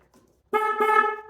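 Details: 2014 Genuine Roughhouse 50 two-stroke 50cc scooter, neglected in a farm shed, first power-up with the battery in and key on: a clean, steady horn blast under a second with a strong, even tone. The horn works properly.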